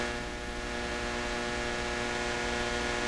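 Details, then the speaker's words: Hammarlund SP-600 communications receiver under troubleshooting, moved from about 90 V to a regular grounded 115 V outlet: steady low hum with a stack of even tones, unchanged by the higher supply voltage; persistent mains hum, source unknown. "Doesn't sound any different though. Still got that weird sound to it."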